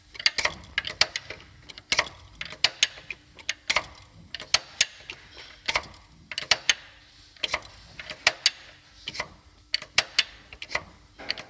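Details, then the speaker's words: 2019 Ford Raptor 3.5 EcoBoost: sharp, uneven metallic ticks about twice a second on start-up and when revving. Cam phaser knock; the timing kit and related parts need replacing. "Ford Raptor 2019 год, 3.5 EcoBoost. Стук при пуске и перегазовках."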